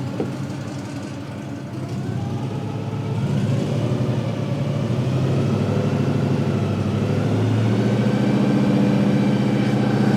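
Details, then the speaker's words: 1955 Chevy with a rebuilt automatic transmission built from several units' parts, possibly a Turbo 350, fluid topped up, in forward gear: engine note climbs slowly for ten seconds with no drop in revs, so it never shifts up; something sounds wrong underneath, cause unconfirmed. "It really doesn't seem like it's shifting through gears. That's not good."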